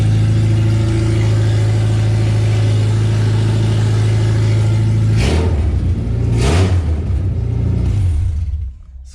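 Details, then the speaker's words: Suzuki Samurai build finally running after seven years with no exhaust system fitted: deep, loud, raw drone at idle barking harder on blips; loud open exhaust, exhaust still to be done. "Yeah, she runs, and I still need to do the exhaust on it."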